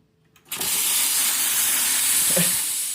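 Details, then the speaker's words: Sage/Breville Dual Boiler espresso machine with three beeps and no steam, after repairing a shorted group-head heater circuit on the board: strong, steady steam wand hiss with no sputter; normal steam wand operation. "works like a charm."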